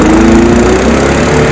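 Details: Honda HR173 lawn mower after carburetor clean and oil change, started on choke: steady, even drone with constant pitch and no surging or sputter; running normally while being left to run the carburetor dry for storage.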